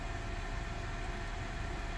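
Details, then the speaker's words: Riptide home-brewery pump pumping water into a bucket during a flow test: quite quiet, low steady hum with faint constant tone, no rattle or cavitation; normal pump operation. "Some of these are a little bit noisier than others, but this one is behaving."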